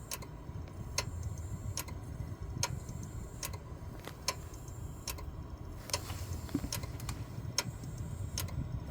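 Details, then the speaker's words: Failing 12-year-old Seagate SATA hard drive at power-on, computer stuck at BIOS: sharp dry clicks about every second over a quiet hum, the click of death; the top drive of two. "old school SATA hard drives from 12 years ago is finally given out I'm gonna go ahead and power on and just see figure out from the sound which one's clicking"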